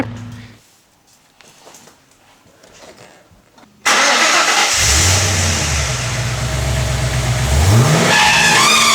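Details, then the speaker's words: Ford AU XR8 V8 squealing like a pig above about 2,000 rpm; a new tensioner did not fix it, and with the front belt removed the thin high squeal remains, traced to a dry camshaft position sensor. "We removed the front belt off of the car, and then it still squealed. So that just told us straight away it's not the belt."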